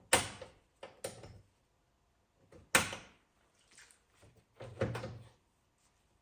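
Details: Volvo 740 after replacing the door locks: crisp clunks of the lock and latch releasing as each inner and outer handle is pulled, with no grinding or sticking; normal door latch operation.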